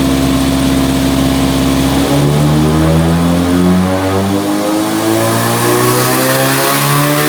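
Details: Nissan 180SX Type X, SR engine, TD06 20G turbo, dyno pull at 15 psi with injectors maxed near 255 rwkw: strong, even pull, pitch climbing smoothly through the revs, no misses or knocks. Normal, healthy engine making power.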